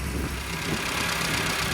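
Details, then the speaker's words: Stone-cold classic car with an older A-series engine, fresh fuel, new plugs and HT leads, coil checked: cranked on choke, it settles into a fast, fairly even choke idle with steady rumble, no misfire or stumble. "So let's pull the choke out and crank it. It's got no fuel, so it's got to pump up first."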